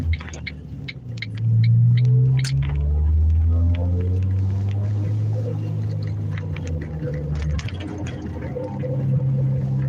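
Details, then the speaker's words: Car coasting with clutch in and engine idling, around 45 mph: deep droning growl whose tone changes under braking as load shifts onto the bearing; owner suspects a worn wheel bearing. "Yeah, it just it it just seems and sounds like a wheel bearing. Cuz like hear that sound. Now I'm on the brakes and it just sounds like the tone changes because there's pressure being put on that bearing."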